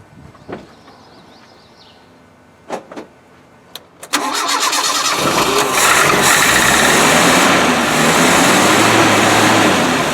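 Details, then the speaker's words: Land Rover 90 (Defender) with old Weber carburettor, cranked with float bowls open after new fuel tank fitted, first start: a few clicks, then catches and settles into a steady even idle with no misses; normal idle. "Hey that's a nice little mortar"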